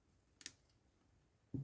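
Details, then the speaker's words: Clarinet upper joint during reassembly: sharp light clicks when a key is worked, from two key parts touching that should clear. "it's touching right in here see that that's not supposed to touch"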